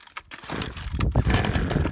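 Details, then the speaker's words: Small two-stroke garden tool with primer bulb, choke and pull start, cold start. It catches after a few ragged pulls, then runs a rough, uneven warm-up idle while the engine is left to heat; normal start. "donc on a entendu démarrer. La même chose, on laisse chauffer le moteur, nickel."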